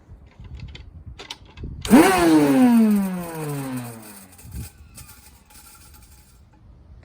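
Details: Nilfisk Buddy II 12L vacuum, used with no bag or filter and knocked over, before refurbishment: motor jumps to a sharp whine, then pitch sags and dies within about two seconds; motor sounds unhealthy, failing suspected, not confirmed.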